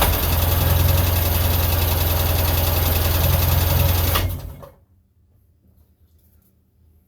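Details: 1999 Sea-Doo GTI single-carb two-stroke after a carb rebuild and new fuel and oil lines, compression 148-150 psi in both cylinders, airbox not fully fitted: strong, even cranking with no firing. No fuel reaching the carb yet; owner suspects supply and return lines may be swapped.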